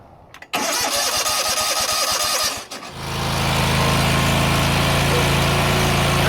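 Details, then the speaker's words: John Deere GT245 mower, air cleaner removed to test richness; short cranking then even, steady idle without misses, confirming it was running rich (dumping fuel); normal running. "sounds great to me. Well, I think that confirms that it's just dumping gas into the gullet."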